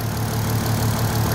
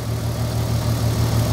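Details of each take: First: VW Golf R32 cold after sitting, after a weird noise on revving owner thinks is something loose or broken at the front: steady, even low-pitched idle with smooth pulse, no rattle or ticking; clean idle. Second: VW Golf R32 on first start after sitting, fuel found bone dry, oil filter empty and filling, ignition lights flickering: low, slightly uneven throb with wandering pulses; lumpy cold idle just after start.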